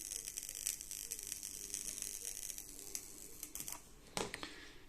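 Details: EasyAcc five-port multi-output USB mains charger (two-pin, Class II), heard while charging a device: faint, irregular crackling, sizzling and buzzing ticks from a bad solder joint arcing inside; unit faulty and likely dangerous.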